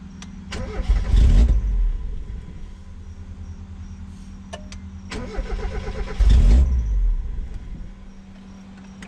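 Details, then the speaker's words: Mazda MX5 Miata project car: cranks, catches under a second and dies, twice; starts then immediately stalls regardless of throttle. "hi and welcome back to rh2 racing has this ever happened to you to start your car [Music] and it just immediately dies"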